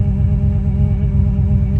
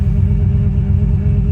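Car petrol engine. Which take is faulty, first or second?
first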